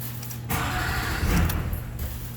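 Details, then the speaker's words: Chevy Silverado Duramax diesel, gauges not sweeping and scan tool not connecting: engine catches and runs about a second and a half, then cuts out abruptly; cause was a shorted instrument cluster dragging down the data bus. "truck would start just like that and it was almost like you turned the key off and it would just die fall right on its face"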